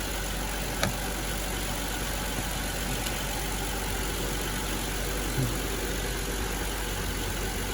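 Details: 2008 Hyundai Veracruz V6 idling after an alternator replacement and belt refit: steady, smooth idle with no knocks or squeals; about 14 volts measured, so the alternator is charging.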